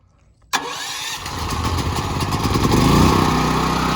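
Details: New Westinghouse WGen9500 DF generator after break-in, started before switching to generator power with no load on. A sudden catch, then a steady, even running note that settles quickly with no misfires or rattles: a clean start.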